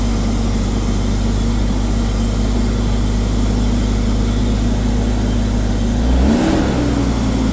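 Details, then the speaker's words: Ford Falcon XR6, first start since Welch plug and brake work: steady, smooth engine drone with a brief rev, no knocks or ticks; water pump sounds unhappy, probably from no water; normal running. "At least it sounds good. Though, that water pump sounded unhappy. Probably cuz there's no water in there."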